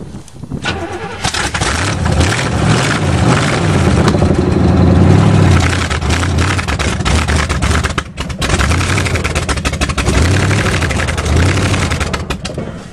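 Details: Chevy 350 5.7 fuel-injected V8, just started on a frozen winter day, revved: cranks, catches and revs unevenly, note wavering and dipping between blips; runs rough while still cold-blooded.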